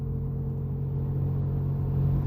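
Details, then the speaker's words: Car brought in for a suspected overheating and misfire complaint: a steady high-pitched droning whine on a test drive that persists off throttle, in neutral and with the engine off while rolling, pointing to a worn wheel hub bearing. "hear that high pitch noise that is crazy and look i'm i'm pressing on the gas and off"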